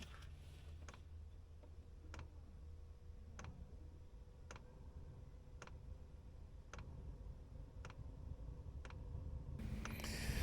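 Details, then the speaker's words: Repaired diesel heater, first start with a new fuel pump and filter, pump wrapped in dense memory foam and hung at 45°: evenly spaced sharp ticks about once a second over a low fan rumble, with slight smoke at first. Normal dosing pump ticking. "I'll put camera near it so you can hear the ticking noise inside and outside afterwards"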